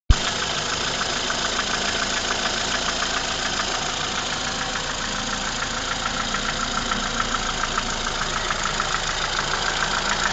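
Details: Ford Fusion at idle: a light, sharp tick about three times a second riding over the engine, slightly uneven; an abnormal knock of unknown origin.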